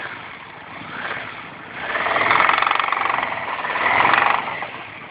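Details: Yamaha V-Max 1200 V4 motorcycle revved, with a rapid knocking rattle rising and fading with engine speed; it appears above 2000 rpm, owner suspects the top of the front cylinder row, and the air cleaner and carbs vibrate with the sound.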